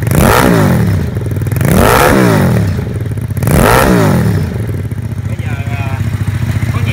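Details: Homemade Vietnamese mini Ducati L-twin motorcycle, just fitted with exhaust, fuel tank, forks and wheels; plug lead reconnected after running on the auxiliary cylinder alone, both cylinders now firing; three sharp throttle blips, then an even idle; normal running.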